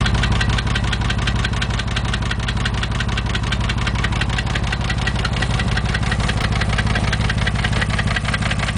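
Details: 2000 Porsche 911 (996) Millennium, 110,000 km; steady idle with a regular light tapping near two per second over the engine note, a knock from inside the engine, cause not pinned down.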